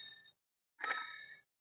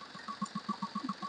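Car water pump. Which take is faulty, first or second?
first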